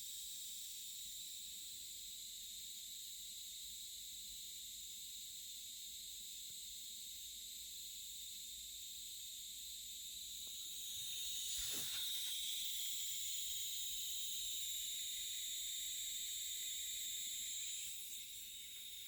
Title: MacBook Pro (16", 2019) hissing noise during/after audio playback